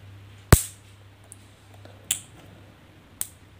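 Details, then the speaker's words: Washing machine run capacitor, 9.5 µF, charge-discharge test for slow-running machine: three sharp, clean snaps over faint hum showing it holds charge; red lead section gives a stronger snap than the other. "इसकी आवाज़ जो है यहां पर मिलेगी और लाल की ज्यादा है और इसकी कम है"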